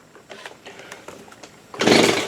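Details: Stihl BG85C leaf blower after carburetor replacement, choked, primed: faint clicks then a rasping starter-cord pull with no firing; the stop switch was left off. Cranking, no start.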